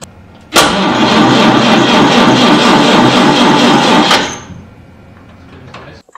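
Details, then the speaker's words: 6-volt classic car, cold start in an unheated shed, starter run with ignition off: starter spins fast and even for about three and a half seconds, no grinding or dragging, coasts down cleanly; healthy 6-volt starter. "i'm gonna let you hear the starter on its own got the ignition off"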